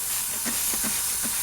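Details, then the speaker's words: Slowly leaking tire with a very small puncture, drilled out to fit a plug. Sharp, continuous hiss of escaping air with a few soft pulses. "air is really blowing right now okay i don't know if you can hear that but it's blowing pretty good"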